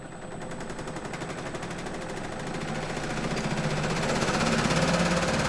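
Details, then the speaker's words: Pullmax-style reciprocating machine with plastic thumbnail shrinking dies: shakes at start, then fast even clatter about three strokes a second that settles steady while shrinking metal; normal rattle. "My machine will shake and make some noise. And then once it gets running, it's pretty smooth."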